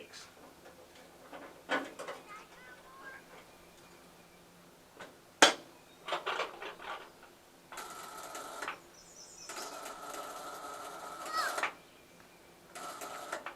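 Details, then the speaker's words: Ford 8N tractor, positive ground: a thin electrical buzz in short bursts each time starting is tried, and the engine never cranks; buzzing with no crank, suspected weak battery connections or faulty starter button, not confirmed. "i'm not sure if you can hear that buzzing but that's not what you want to hear"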